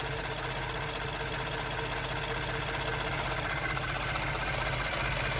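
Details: Ford F-150 EcoBoost direct-injection engine at warm idle: light, even ticking about three times a second from injectors and fuel pump, normal; a cold-start valvetrain tick went away as it warmed.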